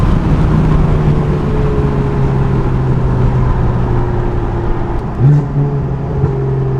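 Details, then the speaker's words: BMW F80 M3 with catless downpipes and prototype Active Autowerke equal-length midpipe, light cruise around 2K RPM: deep steady raspy buzzing exhaust drone holding its pitch; the 2K buzz the midpipe swap is trying to cure. "forgot how good the equal length midpipe sounds after 2K RPM of course but yeah you hear it right there the issue that we're trying to solve"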